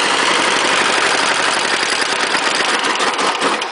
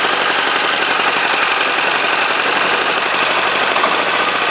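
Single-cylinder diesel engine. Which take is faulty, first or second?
second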